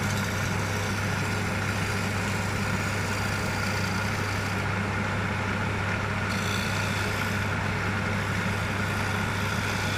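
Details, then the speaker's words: Wood lathe after an undisclosed fault was fixed: constant low hum with an even, unbroken whir throughout, no knocking or grinding; it runs smoothly and winds down differently than before the fix. "hear the difference in that when it wound down. Remember in a previous video when it was just, well, I discovered the problem. I'm not going to tell you what it was because I should have probably discovered it sooner, but it's fixed."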